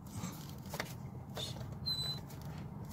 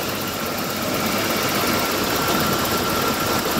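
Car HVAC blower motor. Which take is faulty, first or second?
first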